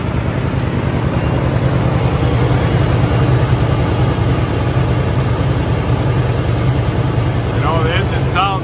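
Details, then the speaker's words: 1971 Chevrolet Monte Carlo 350 V8, automatic: loud lumpy idle with an irregular stumble in the exhaust every half second to second; misfire, seller guesses a valve problem from sitting. "but it does have a miss so i'm guessing we got a bell probably from sitting probably a valve job might get by with it you can kind of hear that miss"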